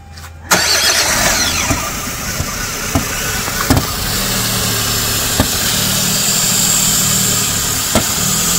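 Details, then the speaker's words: 2008 Chevrolet Spark petrol engine runs normally for four to five seconds after key start, then idle climbs to an estimated 3000+ rpm with no throttle; began after cleaning EGR valve and metal hose with throttle body cleaner; vacuum leak suspected near intake manifold. "अब दिक्कत यह है कि चाबी घुमाते ही गाड़ी चार पाच सेकंड तक स्टार्ट रहती है बिना आरपीएम रहे लेकिन उसके बाद आरपीएम बहुत तेज बर जाता है"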